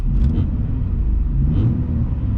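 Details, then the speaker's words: S197 Mustang on BMR tubular K-member with stock exhaust: deep, heavy idle rumble with almost no top end, stiff motor mounts passing engine shake into the body, heavy NVH; mounts may break in over time. "is bone stock exhaust and everything. It's not exhaust you're hearing. That's the engine and the motor mounts, and maybe they'll break in a little bit over time."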